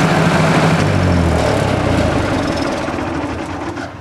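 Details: 1964 Ford 4000 tractor, 91 hours on tach: engine catches and settles into an even steady chug that slowly quietens, no knocks or misses; oil pressure about 40 psi, never hot; normal start and idle.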